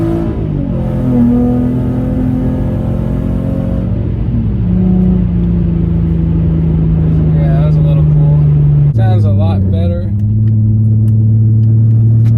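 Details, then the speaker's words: 2008 Infiniti G35 after new exhaust gaskets installed: revs rise and hold cleanly over several blips, smooth deep note with no ticking or puffing; sounds back to normal, exhaust sealed. "yep there it is sounds good back to what it's supposed to sound like"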